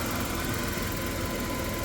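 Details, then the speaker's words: 1990 Chrysler New Yorker, abandoned car with a fuel rail leak, idling as it warms up after starting easily. Quiet, smooth low rumble with no knocking or ticking. Normal idle. "engine sounds really good though nice and quiet no knocking or"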